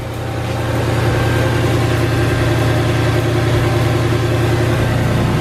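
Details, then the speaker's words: Mercedes E55 AMG, supercharged M113k V8, just cold-started after replacing the supercharger belt tensioner: steady, even, quiet low idle with no belt squeal or chirp, quieter than normal. "may I take that sounds really quiet jeez that's quieter than normal"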